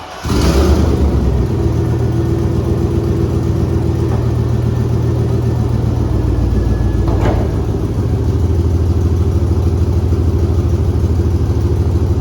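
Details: 2001 Chevy 2500 farm truck, first start after new fuel lines installed and air purged, fired almost first hit: loud rough chuffing rumble as it revs and settles, raspy tractor-like note from an exhaust leak.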